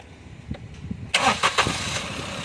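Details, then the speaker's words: 2014 Maruti Celerio after replacing the faulty ignition coil on cylinder 2 (misfire, check engine light): short crank, catches quickly and settles into a quiet, even idle with no stumble; problem solved. "तो देख सकते हो नया कोई लगाने के बाद a perfect लग रहा है दम साइलेंट हुए गाड़ी"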